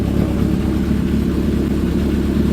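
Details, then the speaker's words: Honda CB750 cafe racer four-cylinder, cold, after a carb rebuild and new spark units; owner says it runs bad when hot. Revving gives a deep, crisp burble, firing evenly with no stumbles or spitting; the engine sounds healthy. "And one more time cuz it's just so good to hear it run. We love it."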